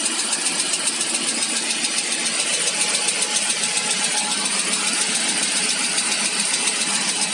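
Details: ZMZ PRO engine with 11,277 km: quick, even light ticking about 3.5 per second over a thin idle. Engine knock; owner hopes it is only a hydraulic lifter, not confirmed.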